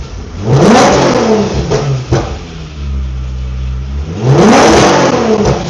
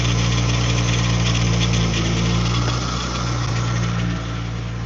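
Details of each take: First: Infiniti G35 drift car with VQ V6 engine, started up to show it. Engine catches and revs cleanly in several quick blips, pitch rising and falling smoothly, no knocks or rattles. Owner says it sounds nice and revs fast: normal revving. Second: Infiniti G35 drift car with VQ V6 engine at idle: steady deep even hum with a faint whirr over it. Owner says the power steering is low on fluid and that was making the noise, so fluid is to be added: pump noise from low fluid.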